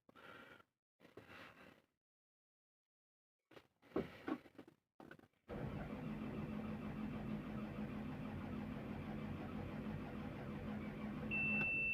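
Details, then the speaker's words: Volvo EC240 excavator, common rail engine, low battery, diagnosed with Jaltest v9: steady starter cranking about three beats a second but never fires; crank no start, fuel okay, fault codes indicate ECM fault. "Okay machine में starting problem है machine का fuel वगैरह okay okay हमारा computer भी scan हो रहा है machine का जो ईसीएम है इसके अंदर फाल्ट है"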